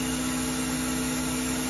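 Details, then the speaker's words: Haas VF0E with a 20 hp vector drive, after repairing a blown drive: the spindle ramps from 1000 to 2000 rpm unloaded with a smooth, even hum. There is only one rpm fluctuation, spindle load is low, and the earlier rough noise is gone. "sounds ten times better only one rpm fluctuation and the spindle load is nice and low it should be"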